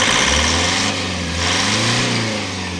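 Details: Toyota HiAce 3.0 diesel with a check engine light and heavy vibration; it stalled while driving, and the fuel filter was very dirty with water and rust. Revving gives a rough, lumpy beat and heavy shake. Misfire suspected from the fuel injectors.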